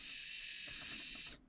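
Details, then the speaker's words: USA Trains F7 locomotive motor block, bench-run after extra grease on the drive gears over the main axles: an even high-pitched whir from motor and gears, smooth and free of grinding, a normal gear drive. "Okay, that sounds pretty good."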